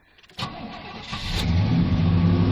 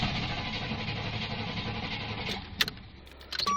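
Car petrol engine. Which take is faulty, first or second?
second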